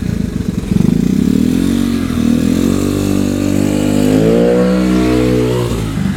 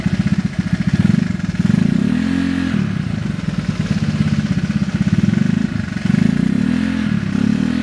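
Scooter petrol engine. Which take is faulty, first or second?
second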